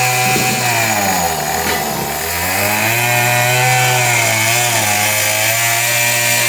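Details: A 26cc Murray two-stroke weedeater with a faulty carburetor screams at a steady high pitch with no drop to idle. Stuck at full throttle from the faulty carburetor.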